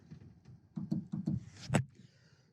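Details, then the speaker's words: Left rear door power window, switch failed (later found burnt front switch panel board and broken solder joint on rear switch): soft clunks and switch click, no motor whir; going down, motor clicks trying to move. "what i've noticed is going up you can only hear the click of the switch but going down there is a click of like the motor trying to move"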